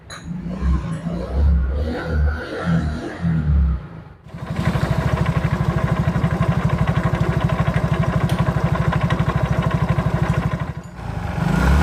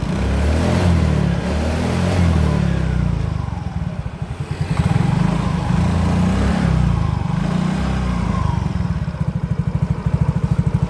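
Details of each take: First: Mio GT scooter before repair, complaint of harsh noise: steady rapid knocking, about three per second, in the CVT case at idle, from a worn rear pulley. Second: Yamaha Mio GT scooter after replacing CVT rollers, slider, rear gear oil and a chipped gear part: steady low engine throb rising and settling with throttle, no knocking or clatter from the CVT; the earlier klotok noise is gone.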